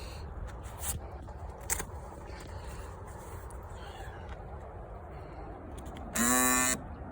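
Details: 2018 Honda Accord 2.0T locking: loud half-second electric buzz from the faulty fuel door lock actuator; disconnecting its wire stopped the noise.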